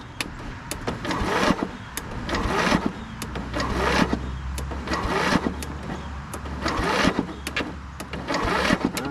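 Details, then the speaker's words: Scotts 15/42 lawn tractor with electrical problem, starter jumped at the solenoid from a jump pack: sluggish, uneven cranking under a turn per second that never catches; jump pack not supplying enough current. "that's not real great spinning over but my jump pack isn't cutting it let's try right at the starter"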